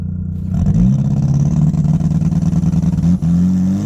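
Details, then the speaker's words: Big-turbo Ford Fusion on an eighth-mile drag run with new setup and software: hard pull with choppy exhaust cutting in and out under full boost, sputtering throughout; suspected spark breakup or wrong timing, unconfirmed, run not logged. "It was sputtering like the whole way through the pool. Either I'm having spark breakup or it's too much timing in the car."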